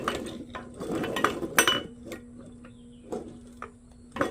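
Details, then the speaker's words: Yamaha GP800 jet ski engine turned by hand during teardown: gritty metallic clicks and ratcheting instead of a smooth spin, crankshaft bearings shot, sounds like it was run without oil. "Those bearings are shot on that crankshaft. There ain't no saving that. You put that together, it's going to blow up. There's no smoothness."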